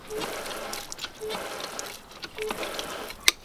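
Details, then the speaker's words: Rpod travel trailer black tank flush with water hose connected, siphoning through to clean the tank: steady hiss and splashing with no gurgle or blockage; normal flush flow. "And what that's going to do is that's going to siphon through and clean out the black tank. Some of them have a spigot that you can use, but something is better than nothing. So you can hear that it's going through the system"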